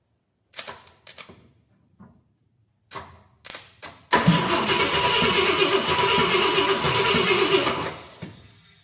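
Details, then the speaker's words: 1966 Ford Galaxie 500 XL, 390 FE V8 during a 4-barrel carb and intake swap: a few short cranking bursts, then it catches and runs evenly about four seconds before dying; fuel pump throwing fuel, normal cranking and start. "Seems to be working all right, and fuel pump's throwing fuel."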